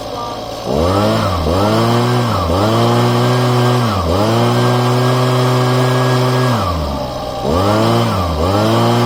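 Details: Husqvarna small engine after replacing crumbled fuel lines, first start-up: revving up and dropping back several times, clean and steady at each speed with no misses; running healthy.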